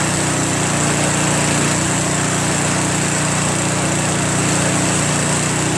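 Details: Craftsman Trac Plus 23-inch dual-stage snowblower, 5 HP Tecumseh single-cylinder, first cold start after a year stored without stabilizer, fresh gas, full choke: even steady idle, no misses, surging or knocking; normal cold start and idle.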